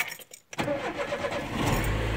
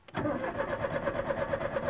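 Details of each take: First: Chevrolet Corsa that cranked but wouldn't start, after refitting a removed part: quick crank, fires at once and settles into a steady, even idle; starts and runs normally, problem resolved. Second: Chevrolet Corsa died suddenly while driving at speed; starter cranks at a steady even rhythm with no firing or catch despite fuel and gas present; cranks but won't start.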